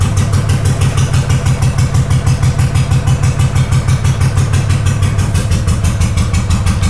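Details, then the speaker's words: Honda GL500 twin cafe racer, first start in over a decade, old oil, running with clutch pulled in: even steady putter about three beats a second, no misses or clatter; idling cleanly. "Clutch in all the way. Clutch in all the way and it's still running. I better shut it off though, that's old oil."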